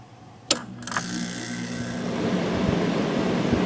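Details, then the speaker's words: Vintage Quiet Master 10,000 BTU window air conditioner made June 1991, rotary compressor: two switch clicks, then smooth even hum with no rattling, vibration or bearing noise; blowing cold, running healthy. "to that no rattling no vibrating no no bad bearings it works perfectly"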